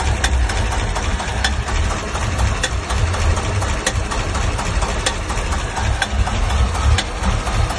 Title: Стук в двигателе, двигатель стучит